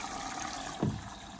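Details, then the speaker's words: Street-found Baumatic BDI1485D4E integrated washer dryer (8 kg wash/5 kg dry) on a test wash after draining: steady rushing hiss of water entering through the inlet with a brief surge partway; filling normally. "now I should take on some water yeah that's the water coming"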